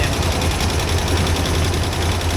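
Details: Land Rover Discovery 2, sitting over 3 years with a bad misfire. Low, lumpy, stumbling idle; the owner suspects a bad fuel injector, and possibly also a lifter or valve problem.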